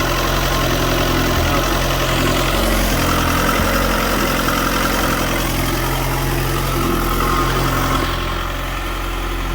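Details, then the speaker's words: Dodge Neon ACR after 60/62 billet-wheel turbo install, disconnected vacuum line reconnected, fuel pressure 50: steady, even idle, smooth low rumble, no knocks or misses; normal idle. "But the ACR is back alive. She actually sounds pretty good."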